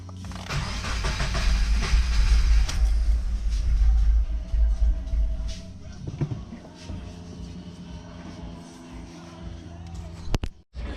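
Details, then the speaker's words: Subaru FA20DIT engine with the fuel pump fuse pulled: starter churns steadily with brief catches on remnant fuel that die away, no sustained firing; keeps cranking without starting while fuel-starved. "yeah the car kept wanting to crank over even after we pulled the fuel pump fuse here"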